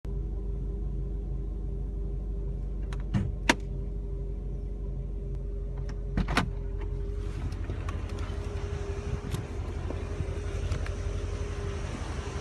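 Engine idles steadily with a faint constant mid-pitched tone and a few stray clicks; something sounds off, but the cause can't be pinned down.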